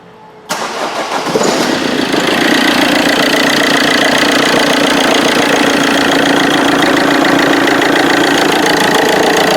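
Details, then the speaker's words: Vauxhall Corsa D 1.3 CDTI: engine fires and idles under a constant harsh rattle from the left-side auxiliary belt, belt and tensioner vibrating badly; caused by a seized alternator overrunning pulley. "pretty horrendous so actually just heard quite a rattle sound coming from the side of this engine and it's actually from the belt itself from the auxiliary belt"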